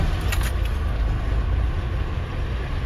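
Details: Iveco 90-16 expedition camper, first start after long storage with two new batteries and new main switch: deep, steady diesel idle, no knocks or misses, slight key jingle; runs cleanly. Tank nearly empty, no brake pressure yet.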